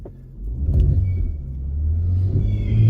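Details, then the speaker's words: Car power-braked in drive after a misfire repair. The previous mechanic had replaced coil two on the wrong bank instead of coil one. Deep steady smooth pull, tires burning, no misfire counts. Normal engine under load. "Tires are burning. But you know what that mean? Ain't no freaking misfire."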